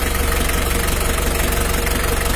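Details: Mitsubishi L300 diesel at idle during a radiator fan and fan-clutch airflow check. Even clatter with a strong fan whoosh and no irregular knocks; the engine idles normally.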